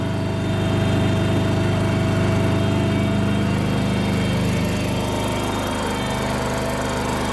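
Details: Kohler engine on a Terramite T5 mini loader, after fuel pump replacement for not staying running: even steady low thump at idle, keeps running without stumbling or surging; runs normally now.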